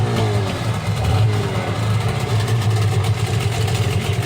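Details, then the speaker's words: Sharmax 9.8 outboard after swapping its spun impeller for a Mikatsu 9.8 impeller, which had left no tell-tale water before: a steady, even buzzing fast idle with a smooth low drone and no knocking or misfire, water flowing, running healthily. "Водичка пошла. Крыльчаточку поменяли. Все окей."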